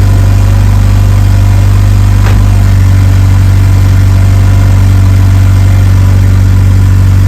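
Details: Evo 8 4G engine in an Evo 6 after fitting a lifter to remove play, first cold start then warmed up: deep steady idle, even pulse, no ticking or knocking; sounds like a normal 4G.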